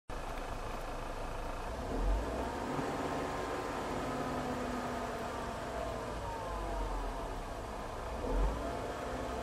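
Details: Dodge Caravan, moving with A/C on: a loud whine from the passenger side rises and falls in pitch when accelerating or lifting off the gas. It stops when the A/C is turned off; the A/C is silent at idle.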